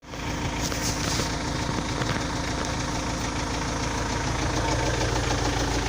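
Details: Engine idles steadily with a dull knock coming through roughly twice a second, not perfectly even; unexplained engine knock, cause not yet identified.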